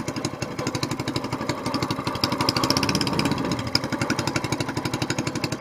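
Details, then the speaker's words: Longtail mud motor warming up on a very cold morning before an oil change, choke just turned off, quick even putter at steady idle with no misses or knocks; normal warm-up idle. "the choke off now just now idling"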